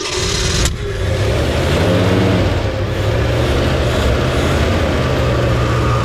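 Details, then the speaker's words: 1963 Mercury Comet 260 V8, Autolite 2100 carburetor, no coolant in it and no wheels on; brief crank then steady even low rumble without misses or knocks, running as it should. "oh man hey who's the staff proposed carburetor man oh what's that thing run y'all we ain't got no water in it we ain't got wheels on it but that's the way a common supposed to run y'all"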